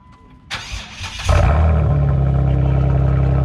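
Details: 2011 Jeep Wrangler, 3.8L V6, just fitted with a Flowmaster Outlaw muffler with dual tips on the stock exhaust: the starter whirs, then it catches into a deep even idle with throaty exhaust and no misses; healthy start.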